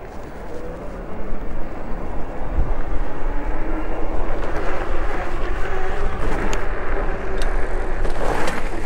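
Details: 2024 Wired Freedom e-bike with fenders removed but rack still on, ridden at low speed: steady low tyre and motor rumble rising with speed. The earlier low-speed motor-vibration rattle is gone; rides normally.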